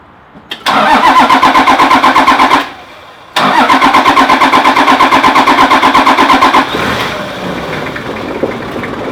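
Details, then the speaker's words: Toyota LandCruiser 1HZ/1HD-T/1HD-FTE diesel started right after a timing belt and water pump change. It cranks, pauses, cranks again, then catches and settles into an even idle: a normal start and idle. "Well, there we go, it runs."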